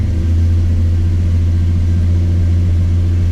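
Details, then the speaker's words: 1985 Chevrolet C10 V8 cold start after new distributor cap and new vacuum hose to stop vacuum leaks: started right up with two pumps, fast idle about 1,600 rpm warming versus 2,000 before; deep steady even rumble, no misses. "started right up I only pumped it twice she's idling a lot better she was at around 2,000 the last time as she was warming up this time looks like it's about 1,600 so yeah a lot happier"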